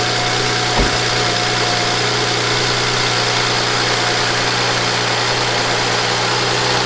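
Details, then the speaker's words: 2007 BMW 335i N54 after twin turbo replacement; the old turbos had rattled like a wastegate and lost all boost. Now fitted with VRSF downpipes and outlets and new inlets. Steady, even idle with no misfire, ticking or knocking; healthy. "came out pretty good uh i'm surprised that it's running the way it's running"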